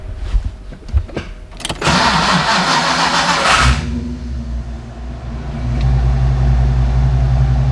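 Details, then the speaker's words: Fox-body car with a hot-start problem the owner blames on heat soak; after a new starter and ignition timing set to 10–12 degrees, hot start: short loud crank whir, then fires and settles into a steady lumpy idle; starting now works. "the timing down a little bit seemed have helped but i'm gonna check it out again to make sure"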